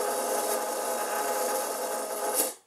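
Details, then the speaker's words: FDM 3D-printed bearing (TheGoofy's design) on a stepper-driven camera slider motion stage (DRV8825 driver, CNC shield V3 Arduino): harsh continuous rasping grind with no clean tone, cutting off as motion stops; bearing runs rough, unusable noise and vibration. "s essentially unusable like if the bearing works but it makes way too much noise and way too much vibration for it to be used in a camera slider application"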